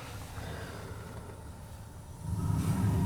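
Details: Gas boiler at a rental property on a no-heat call, after the control plug was reconnected: the circulator runs, the vent damper clicks open, then a quiet hum and a soft low whoosh as the burner lights and settles into a steady roar. Clean, normal ignition.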